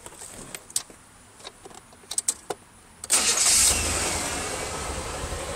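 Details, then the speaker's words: 1981 Buick Regal before V8 swap: some clicks, a brief crank, then it fires at once and settles into a steady, even idle; motor runs strong with no ticking. "motor runs strong no ticking nothing like that"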